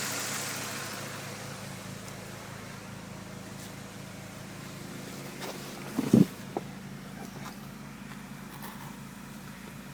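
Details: Well-built, run-in Toyota 4A-GE at warm idle with fan on, about 750 rpm, slightly below the 800–850 spec: quiet, smooth, even hum with one brief clunk and little judder; healthy idle.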